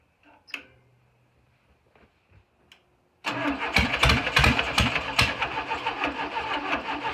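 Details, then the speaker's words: VW Beetle engine after correcting plug wire order to 1-4-3-2: a few cranking clicks, then an uneven stumbling idle with irregular pops; owner felt it wasn't firing right and adjusted timing; rough running on start. "all right so i switched messed it with the timing a little bit um turned it that way a tad bit um so it wasn't sounding right when it was trying to fire so we'll give it a another try"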